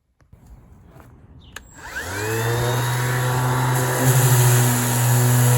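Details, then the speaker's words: Milwaukee cordless sander after installing new brake to fix gouging; motor spins up smoothly to a steady, even hum with no grinding or rattle, working like new: normal running. "yeah it works just like brand new that's all it was was the break you"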